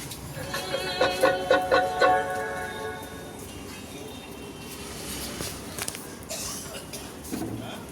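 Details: MR amplifier after repair (rusted VCs replaced, bad connections and a loose wire that made it go high fixed; previously distorted sound): music plays cleanly with clear notes, no hum, crackle or dropouts; working normally.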